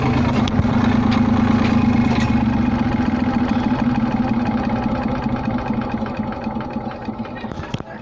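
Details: Rough idle just after start-up, with light clunks about every half second that fade as the engine settles; owner links it to the temperature gauge, cause unclear; clunking noise at idle.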